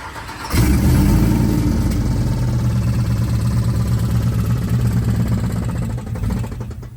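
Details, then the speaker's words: Lifted Chevy truck that drove fine all day, then on restart: rough fast tap about four per second from the front of the engine, between a tick and a knock; truck was towed home, owner fears a blown motor, cause unconfirmed. "started it up and all of a sudden we have bad sound coming from up front I'm not sure if it's like a ticking or a knocking sound it's kind of in the middle"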